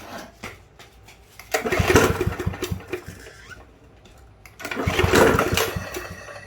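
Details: Yard Machines push mower 11A-02MG029, curbside find reported not running, fuel added, carburetor not yet cleaned: two pulls, each a short ragged sputter that catches then dies; fires but won't keep running.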